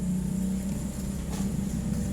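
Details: Hitachi automatic washing machine that will not wash or spin; a steady electrical hum with no pickup in speed, so the motor is energised but stalled; a faulty capacitor or failed motor is suspected.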